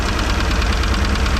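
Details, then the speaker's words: 1989 Raven 195 boat marine petrol engine idling deep and uneven with one dead cylinder; found by cylinder balance test, with good spark there, and compression suspected as the issue. "there it is oh yeah we got good spark too you can hear clicking but it's not changing so that's our our dead hole"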